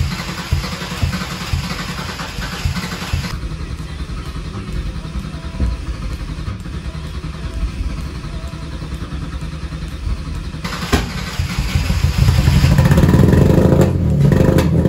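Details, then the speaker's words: Mercedes C32 with junkyard M104 engine, cold morning start: engine churns and stumbles unevenly, then catches and builds revs roughly; plugs 1 and 6 get drowned in a fuel-oil mixture, occasional ticking, cause not yet found. "unfortunately every now and then it will start making this weird ticking sound yeah let me stop before i break something as well as having a really hard time starting up in the morning"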